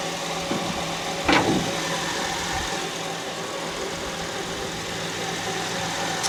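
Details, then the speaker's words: 2006 Honda Ridgeline at idle after startup: a thin constant whine from the engine bay, not a belt, plus one brief handling knock; low power steering fluid made the pump whine, fixed by adding fluid. "is kind of like a whining sound coming from right in this section it does not sound like a belt though"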